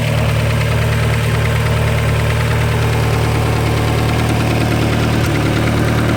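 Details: Steady idle with a light, fairly regular tick about twice a second over the engine hum; owner says it is not lifter tick, source unclear; engine ticking noise.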